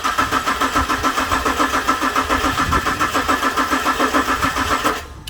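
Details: VZ SV6 Holden Commodore, a common fault on VZs: the starter churns evenly but the engine never catches. Owner suspects the ECU and later gets it running by shorting relay pins 85 and 87. Crank, no start.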